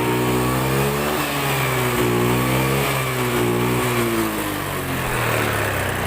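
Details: Honda Beat FI scooter that sputtered and died, suspected weak fuel pump; with the pump unplugged and fuel fed from an IV bottle pressurised by a hand pump, the engine runs steadily and picks up cleanly on each throttle blip, no misfire.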